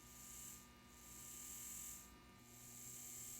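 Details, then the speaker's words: N scale Kato C44-9 locomotive motor after disassembly and lubrication, tested on test leads: small motor whirs with soft high hiss swelling and fading, smooth, no grinding; previously noisy, now running quietly. "so it's not noisy anymore that sounds pretty good to me"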